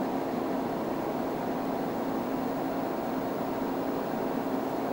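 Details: 5.25-inch floppy drive on a TRS-80 Color Computer reading a 10K file in a BASIC test (about 26.6 s): steady soft whir with a faint low hum, no grinding or scraping; normal operation.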